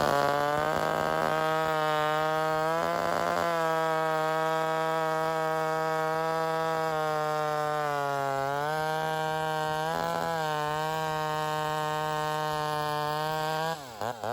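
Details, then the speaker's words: Vintage rebuilt Homelite Super XL 130 chainsaw cutting wood after the high-speed circuit was richened back from too lean. A high scream holds its pitch in the cut, with a brief four-stroke bark at top end as pressure is released. This is the correct high-speed tune, with more cutting power. "The saw was just able to handle it a lot easier, and I had that four-stroking or that bark happening on the top end as I released pressure. It gave the saw a little bit more power in the cut."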